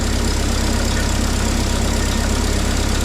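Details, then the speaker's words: Propane-fuelled mini forklift engine, just started after throttle linkage and intake fixes: it holds a fast, steady idle with even pulses and never settles down; it sounds nice but idles a little high. "Thing sounds nice, man. It's idling a little hi"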